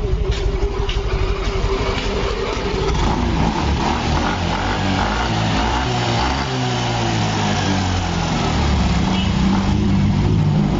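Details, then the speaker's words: Yamaha Fino 125 scooter after the fix, which needed no engine teardown or parts: engine idles smooth and even with a light throttle blip and no tapping or knocking. Before the fix it was noisy and would not idle. "Enak. motor bisa stasioner normal."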